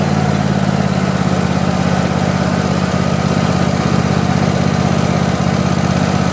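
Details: Craftsman YT4000 lawn tractor, after sitting in a barn for years, idles steadily and evenly with a deep note and no misses, knocks or rattles. The deck engages but vibrates, so the blades probably need sharpening and balancing.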